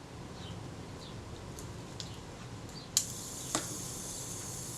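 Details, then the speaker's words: Agfa Agfaflex SLR camera, serviced front cover with self-timer, tested before refitting to body: faint, even buzzing whirr runs steadily and ends with a soft click; self-timer escapement runs down normally. "Can hear it running down. That's it."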